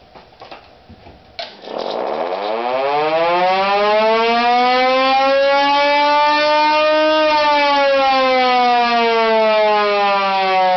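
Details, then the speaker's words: Homemade Model 2 siren from a 50-year-old Thunderbolt chopper motor with new Federal Model 2 stator and experimental aluminum air tube, first test: clear rising wail climbing and holding steady; normal wind-up. "Huh. Guess it sounds like a model 2."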